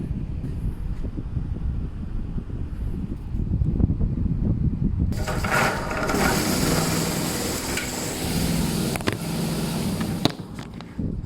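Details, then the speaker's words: Electric fan switching on into a loud, rough rush with low buzzing hum, sluggish, stiff-turning motor running hot and vibrating; dry motor bushing and loose mounting bolts. "เอาพัดลมตัวนี้นะครับมันจะเปิดนะครับมันคือมันจะเปิดเวลาและเวลาเราเสียบปลั๊กน้ำมันอืดมึงมันเองนะมันหมุนมันไม่มันไม่คล่องอ่ะหนุนมันอยู่อ่ะเดี๋ยวจะเสียบปลั๊กให้ดูนะ"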